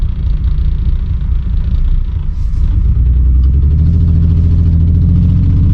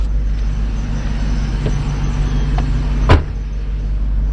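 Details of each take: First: Mistreated BMW e46 running on raw-smelling fuel, catalytic converters and O2 sensors removed, pulling away on a test drive: deep, loud, boomy, unmuffled exhaust rumble rising under load; exhaust leak, horrible exhaust. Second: Old Mercedes 500SL on old gas, started and idling with intake off: smooth, steady low hum, no misses or rough pulses, one brief bump; purrs like a kitten, normal idle.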